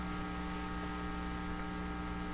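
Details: 1940s Canadian Red Cross five-tube radio, no schematic, stray resistor removed and supply reading only about 67–70 V while drawing heavy current: loud steady low hum with evenly stacked tones, no crackle or speech; strong mains hum, cause unconfirmed.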